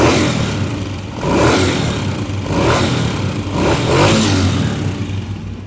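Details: Honda CG125 engine cold, blipped, due for tappet adjustment after 10,000–15,000 km: light metallic valve-tappet clatter riding on the exhaust beat.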